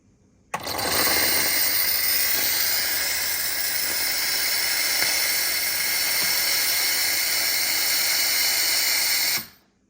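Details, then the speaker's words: Terra Kaffe TK-01 super automatic espresso machine, a few months old, milk system cleaning cycle: after running reservoir water through the nozzles it steams to break up leftover milk; sharp steady hiss about nine seconds, no sputter, normal. "and then after it runs the water then it'll end up doing a steam to kind of get break up any of the uh of the milk that came out of the nozzles for your"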